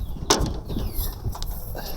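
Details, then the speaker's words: V8 Ford Falcon rusted boot lid: two sharp slams, each followed by a brief loose clatter of something rattling inside the lid; rattle inside boot lid, lid to be replaced. "And every time you close it, you can hear something rattling around in it."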